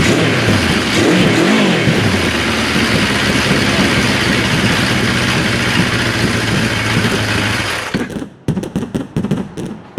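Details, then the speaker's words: 1974 Kawasaki Z1 first start in years after carb and wiring work, a little choke and old gas: catches and runs rough but steady about eight seconds with a few blips, then cuts out; fires and wants to run. "Alright, YouTube. You guys heard it. It wants to run. I believe we got a good runner here now."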